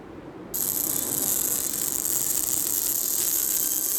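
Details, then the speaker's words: A50 phone speaker buzzing after a screen-with-frame replacement: harsh, fizzy, crackling, distorted sound, all treble and no body; a shim under the speaker and a pad over it did not fix it. "eu tava reparando que o som ele fica todo estourado"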